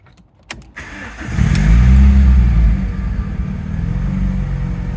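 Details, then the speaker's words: Japanese import with 65,000 km (about 40,000 miles) cranks, catches quickly and revs cleanly to an even idle; engine sounds good with no variator rattle and no dashboard warning lights; burning oil smell noted afterward. "Engine sounds good with no variator rattle. No warning lights on the dashboard."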